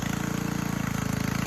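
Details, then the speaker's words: Simplicity Serf single-cylinder engine after its never-cleaned carburetor was removed, torn down and cleaned; very loud, steady even putter with no misses or surging, best it has ever run. "Well, I'm confident in saying that this is the best she's ever run. Uh, very loud. Not sure if you can hear me, but yeah, she is uh doing great, I'd say."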